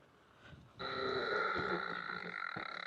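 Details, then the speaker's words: Leaperkim Sherman L electric unicycle, 20-inch wheel, 151 V, 3200 W hub motor, running hall-sensorless: slowing to about 10 km/h brings a rough grunt of about four pulses a second over a buzzy tone; torque reduced but it still rides. "We're gonna slow down. And when we get to about 10 kilometers an hour, you start to hear this grunting noise."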